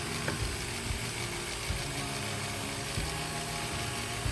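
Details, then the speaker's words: Metal-geared 1/10 electric RC crawler (MN99S Tubular Pro) gearbox turning slowly after the first 5 cc of oil was added: a slow, even whirr of meshing gears with light ticking and no grind, far quieter than the very noisy dry gearbox; normal running. "Untuk suaranya jauh lebih lembut lagi"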